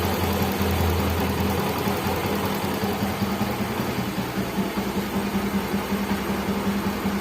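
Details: Yamaha Mio J fuel-injected scooter after the dead fuel pump that stopped it starting was dealt with: small engine idling smoothly with a steady low hum, no knocks or misses; normal idle.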